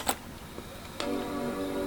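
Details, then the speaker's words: Macintosh 7500/7600 powering on: click then clean sustained startup chord with hard drive audible, though it later drops back to standby; boot fault, PRAM battery doubted. Normal startup chime. "So anyways, I can hear the hard drive and stuff, and it does a normal bong noise, you know,"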